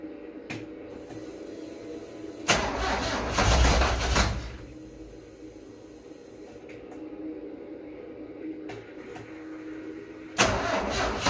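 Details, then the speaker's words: 1974 Alfa Romeo Spider Veloce, 10K original miles, stored 30 years, first start attempts: engine cranks and catches in two rough bursts with a heavy uneven clunk between quieter stretches; cause unclear. "look at that sounds very clunky uh I don't know let's take a look"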